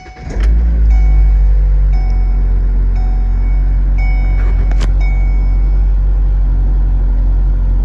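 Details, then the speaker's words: 2008 Ford Focus 2.0L before replacing engine and transmission mounts: engine cranks and settles into a heavy, shaking idle drone with a light rattle about once a second and vibration; worn engine mounts. "Okay, so I'm gonna crank this up so y'all can hear and feel, well, you can't feel the vibration, but hear the vibration."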